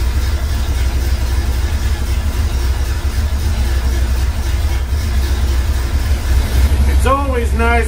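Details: Truck after York AC compressor clutch bearing replacement, clutch and belt reinstalled: idles with steady low rumble, no squeal, grind or rattle from compressor pulley; normal idle, clutch bearing healthy.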